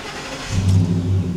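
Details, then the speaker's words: 2010 Ford F-150 4.6L V8 crank/stall, pump and FPDM already replaced, scope on fuel pump power wire: short crank catches into low steady run with no pump power, engine running only on key-on rail prime. "Oh, we're running, but yet there's nothing. So what we're running on was that little bit of it energized that it got. It primed up that rail really good."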